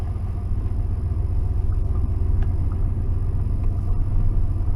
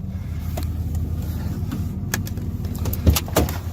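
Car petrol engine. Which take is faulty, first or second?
second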